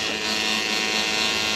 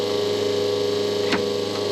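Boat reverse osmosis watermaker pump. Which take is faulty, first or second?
first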